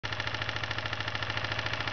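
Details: 1992 Kawasaki Ninja 250 twin at idle: fast, even knocking about twelve times a second over the idle from worn connecting rod bearings.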